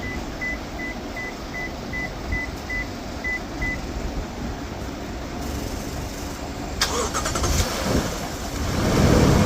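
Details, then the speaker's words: 2014 Toyota Land Cruiser with a no-crank, no-start fault, after fitting a replacement starter and solenoid switch. Dash chimes, then a short firm crank and the engine catches right away and runs steadily. The starter now works normally. "Of course तो अ बिल्कुल सही है starter सही काम कर रहा है"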